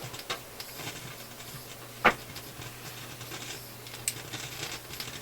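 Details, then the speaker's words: Philips console stereo tube receiver, volume turned right down: low steady hum, then a sharp pop and faint ticks; crackle source being isolated in the high-voltage power supply, suspected shock wave affecting many tubes, not confirmed. "The volume's turned right down, but we can still hear it. There's the crackly pop."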